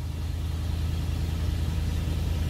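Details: 1992 Cadillac Fleetwood Brougham d'Elegance with a 350 V8, just started up: a deep, steady low rumble with an even beat and no knocks or ticks; a normal, smooth idle.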